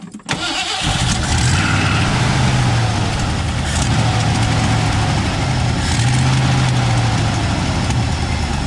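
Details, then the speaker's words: 1967/1968 Ford F100 pickup, long sitting, fresh used oil added: cranks and catches, then loping uneven idle with recurring stumble; missing on one cylinder, owner suspects spark plug or plug wire. "that baby's been sitting i don't know if it's gonna pump gas uh it's missing on one cylinder but that baby's idling probably spark plug spark plug wire"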